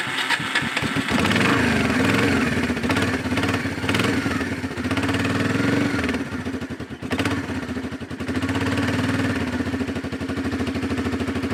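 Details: Four-wheeler ATV single-cylinder engine after new ignition coil and fuel filter, started with starter fluid after sitting; cranks briefly, catches within a second, busy slightly wandering putter with blips; running okay, carburetor may need adjustment.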